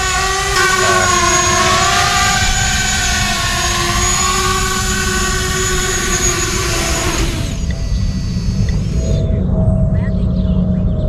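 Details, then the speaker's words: 6-inch ArduCopter race quad in flight during autotune: high motor whine carrying a buzzy, shaking vibration that holds under throttle and fades as power comes off; frame resonance, addressed with the second harmonic notch filter. "you could just hear when angle P was doing like that you could just hear the the frame resonance at that point just hear that sort of vibrating noise"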